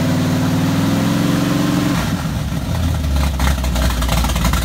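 Deep V8 idle that lifts into a quick rev about two seconds in, then settles to an even, rumbling run; sounds healthy after rebuild.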